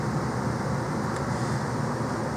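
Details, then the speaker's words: Air handler blower on a wood boiler heating system, after the fix: a smooth, even low hum with no rattle or pulsing. It earlier vibrated because it was wired to run with the AC condenser simultaneously, and its AC condenser lines had been found frozen. "hear how quiet this right now there's no vibrations at all nothing at all and I'll tell you why it turns out that this has been wired to run at those thermostats with the frickin AC condenser going at the same time"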